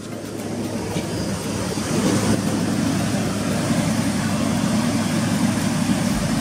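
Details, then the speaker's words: 2006 Jeep Liberty 3.7 L idling after replacing a leaking water pump, checked underneath for leaks: steady low engine hum with no ticking, squeal or grinding, holding even; running normally. "ahí está trabajando compañeros vamos a ver si en la parte de aquí abajo se llega a apreciar alguna clase de fuga"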